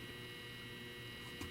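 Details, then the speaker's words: Tripp-Lite LC1800 line conditioner cleaning modified sine wave power from a DeWalt DCB1800 power station, recorded close up: steady electrical hum with faint buzz from the transformer, normal. "That's the transformer and the transformer and the things behind it. Cleaning the power up for the modified sine wave for the DCB1800."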